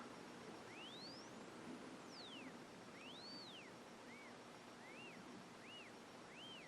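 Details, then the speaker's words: HP 606A RF signal generator crystal calibrator, 100 kc position, modulation off, 165–560 kc range, calibrating at 300, heard through high-impedance headphones held near camera: thin beat whistle sweeps down to silent zero-beat null as dial crosses 300. "You hear that whistling? What we're hearing is the difference between the variable oscillator and the crystal oscillator. When they're exactly the same, you don't hear anything."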